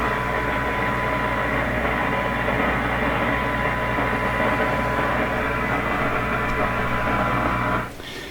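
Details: Canadian General Electric JK-66 tube radio during AM dial and push-button alignment: a steady loud hiss with low hum buries any station, excessive receiver noise. The push buttons are also not tuning correctly; cause not found.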